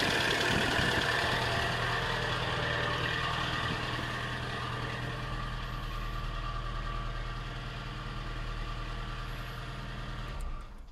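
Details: ZX (one of two project vehicles) started with a booster pack and idling with a deep, rhythmic knock about three per second: bottom end worn out, leaking oil, needs engine rebuild with new bottom bearings and shims.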